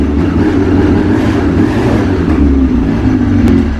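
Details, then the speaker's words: Yamaha RX-1 snowmobile after a new battery and oil change, started on full choke: loud crisp revving with a deep throaty exhaust, clean throttle pickup, no misses; normal revving. "Oh! Hey! Doesn't that sound aggressive? Everything sounds good in here. Man, that runs good."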